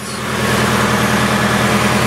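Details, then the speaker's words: Nissan S14 Silvia idling just after first start with new power steering pump and resealed valve cover: smooth steady idle, clean even hum, no steering pump whine; normal idle. "there we go starting right up everything is working just as you should with that thing go quiet"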